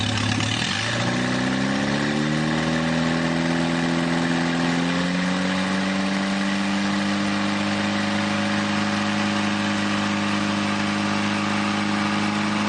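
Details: Newly rebuilt 2.1L Triumph TR4A engine first run test, some oil leaks: catches, climbs briefly, then settles into steady even hum with no knocks, ticks or misses.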